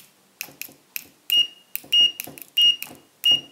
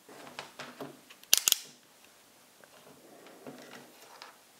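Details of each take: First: Fluke 101 multimeter, possibly a knockoff, on continuity test: short high beeps in bursts about once a second, some rough or cut short, many missing; scratchy intermittent continuity buzzer, speaker possibly misaligned. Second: Chinese-version Fluke 101 multimeter after reassembly with test leads re-centered: short, clean, high-pitched continuity beeps with no rasp; the buzzer now sounds normal, scratchiness inadvertently fixed.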